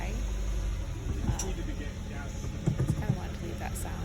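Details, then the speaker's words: 2012 Hyundai Elantra Touring, over 175,000 miles, just after fuel injector replacement: deep uneven rumble, idle very high and rough on first start, check engine light on; later idled lower and smoother after driving. "you can hear that it sounds rough still it's getting gas it's still kind of rough but maybe it just takes a minute still idling very high"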